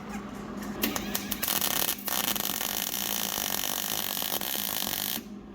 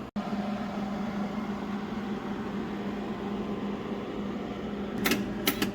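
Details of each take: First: Hobart Handler 140 MIG weld with solid wire and shielding gas, polarity switched for gas, on a new welder. A steady, even frying crackle like bacon for a few seconds, with no popping or spatter bursts. A good gas MIG arc, judged as good as their Miller. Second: New Hobart Handler 140 welder, flux-core wire, first test bead at voltage 2, wire feed 30: steady hum then loud hissing crackle once the arc strikes; harsh arc, judged too hot, on oxidized metal.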